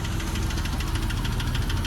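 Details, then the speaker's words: Porsche 911 bought from a salvage auction, first drive home with bad alignment and low coolant: sharp light ticking about eleven times a second over the engine drone while driving; owner suspects lifter tick from long storage, unconfirmed. "what it sounds like is it's lifter tick and like the number one way or well whatever was reading online the way lifter tick happens is like when a car sits for a long time"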